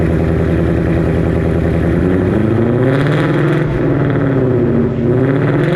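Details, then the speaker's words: 2020 Ford Mustang 5.0 V8 just after Pypes long tube header install, first fire-up: deep, lumpy burble with free revs rising and falling cleanly, no ticks or exhaust-leak puffing; healthy start and rev. "So yeah, I'll go back to the top, put that stuff back on, and we'll do a fire up and see what she sounds like."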